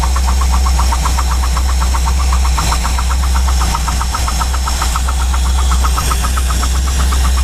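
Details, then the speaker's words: Chevy C10 truck V8, idle after advancing timing slightly from too-retarded setting: deep steady rumble with light ticking about four per second; engine that used to shake badly now runs smoother. "Now see, yeah, the motor used to shake like crazy. Now it's not really shaking quite as much. So, it was definitely too retarded."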